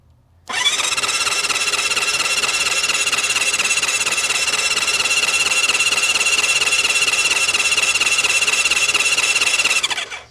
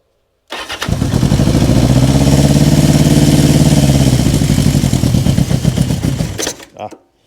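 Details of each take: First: Honda CB550 or Kawasaki KZ650 1970s four-cylinder motorcycle sat for years, spark plugs out, solenoid jumped: brisk even starter whir about three and a half pulses a second, spinning freely without drag or grinding; cranking sounds healthy. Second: 1970s Honda CB550 or Kawasaki KZ650 four-cylinder bike revived after years in storage, on a jump box: it catches, runs rough and uneven for seconds, then sags and dies, as if running out of gas. It seemed rich, and carburetor jetting is suspect.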